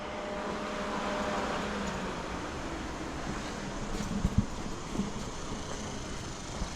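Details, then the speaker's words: 1961 Ford F100 unibody, revived after sitting: engine surges and sags unevenly with occasional pops, gurgling from the carburetor; owner suspects fuel starvation, possibly filter, flooding or sticking float bowls. "it's like gurgling out of the carburetor wonder if the bowls are stuck hear that it's like gurgling I think it flooded out I think the bows are sticking"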